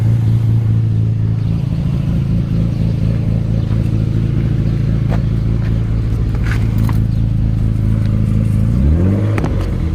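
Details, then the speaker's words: Infiniti G35 sedan, VQ35DE, 198,000 miles, no check-engine light: a rough stuttering idle with the engine visibly shaking and uneven low thumping, then revved. Rod bearing knock; the engine is finished. "Alright guys, this is what the G sounds like, but I don't know if y'all can hear that. But it sounds very bad. It's stuttering real bad right now, as y'all can hear."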